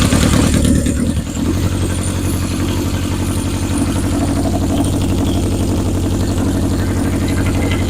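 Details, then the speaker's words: 1977 Honda CB750 chopper during rewiring, with a charged battery and no starter solenoid installed yet. The starter grinds with a rapid, even chug, about three a second, and it never catches because the fuel petcock was left off. "Might have helped if I turned the fuel on."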